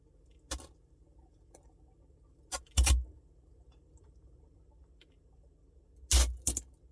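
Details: Samsung Bespoke refrigerator noise: low steady hum with irregular metallic jangles every few seconds; abnormal rattling, source not pinned down.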